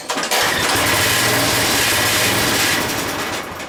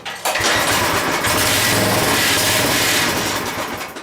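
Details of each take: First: Craftsman 5 hp 14-inch rear-tine tiller after carburetor cleaning and refit using the Sears parts diagram, first start choked with fresh gas: a few pulls, then it fires and runs on with a steady, even buzz. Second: Craftsman 5 hp 14-inch rear-tine tiller, first run after carburetor cleaning: runs steady but never climbs to full speed, sagging and surging; the idle control cable is suspected of needing adjusting for more fuel, and a bad diaphragm/fuel pump was the eventual issue.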